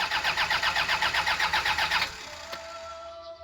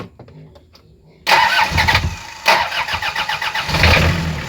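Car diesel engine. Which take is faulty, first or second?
first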